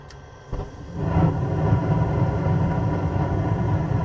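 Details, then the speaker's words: 90% Carrier furnace after clearing a clogged condensate trap that made the pressure switch tick: switch now silent, a sharp click, hot surface igniter lights, burner settles into a steady low rumble; normal ignition. "right active pressure switch silent no clicking there's your hot surface beautiful let Rock"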